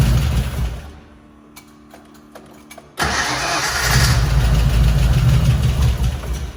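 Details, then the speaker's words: 1977 Mustang Cobra II V8 bought as having a blown motor, cold start: a few cranking clicks, catches in about three seconds and settles to a steady, even idle with no knock: normal cold start and idle. "I bought it with a blown motor because I didn't care, because I have a motor right here on the engine stand all wrapped up, ready to go, 331 stroker, but I'm not going to put it in now. Like, listen to this. Crazy."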